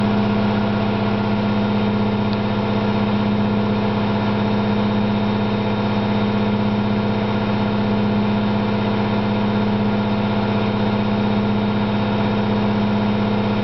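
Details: Candy GO4 127 DF washing machine on spin: a steady loud deep rumble with a constant hum from worn drum bearings, said to be loud rather than badly failed.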